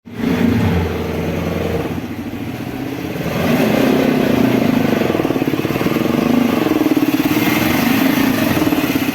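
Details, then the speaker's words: 10-speed 10L80/90 automatic transmission, customer complaint of abnormal engine noise in all gears: loud rough droning hum with churning pulse rising with revs, from inside the transmission, vanishing when torque converter bolts disconnected; transmission oil pump noise. "ഈ sound വരുന്നത് ട്രാൻസ്മിഷന്റെ ഉള്ളിൽ നിന്നാണ്. ടോർക്കോട്ടറിന്റെ bolt disconnect ചെയ്തപ്പോൾ sound disappear ആയി."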